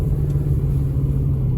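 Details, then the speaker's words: 2005 Nissan Armada SE 5.6 V8 4WD after exhaust manifold and passenger-side catalytic converter replacement, driver-side manifold welded: deep, even rumble at steady cruise, no knocks or whine, shifting perfectly; normal running while driving. "Oh man, she still runs so good. Golly bum. Shifts perfect."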